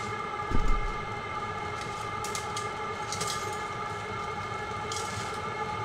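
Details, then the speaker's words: Vevor 5kW diesel parking heater burning kerosene, powered by 12 V car battery, running indoors, blowing warm. Steady combustion whoosh with constant hum, fuel-pump ticking not loud, no misfire or surging: normal running. "it's not nearly as noisy as I've heard people complain about the ticking of the fuel pump this sound the whoosh you're hearing you wouldn't hear when this is outside the muffler might even quiet that if I"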